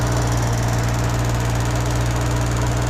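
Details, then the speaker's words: Bedford Rascal (Suzuki Carry 1.0) with a newly fitted aftermarket fuel pump, engine running rough on choke after an airlock: fast steady tapping about three to four a second over the engine; owner unsure whether the pump should be this loud. "if anybody can let me know in the comments if the fuel pump's actually meant to be that loud so you can hear it tapping really loud"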